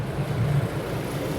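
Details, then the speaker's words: Toyota Tacoma at a salvage auction, clean oil, battery found lying on its side: fired up and idles with a low, steady, even rumble, no ticks, knocks or stumbles; sounds really nice, normal idle. "We're gonna go ahead and fire this one up. I think it should fire up. Check the AC, kind of check everything, see how it all sounds. Oh yeah. This one sounds really nice. Sounds good."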